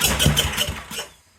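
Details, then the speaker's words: Generac SVP 5000 generator, long unused, customer reported no spark and no run; choke not hooked up, starting fluid sprayed in: a few quick uneven pops for about a second, then dies, catching only on the spray. "all right well since I don't have the choke quite hooked up yet I'm just going to put a little bit of chemical juice in it just to give it up quick"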